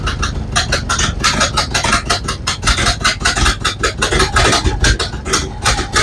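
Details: Ford Model A cold start after sitting about four months, spark lever almost fully up, with old ignition parts (cap, rotor, coil probably from around 1970). The old four-cylinder chugs unevenly, faltering irregularly; it runs worse than in January, cause not confirmed.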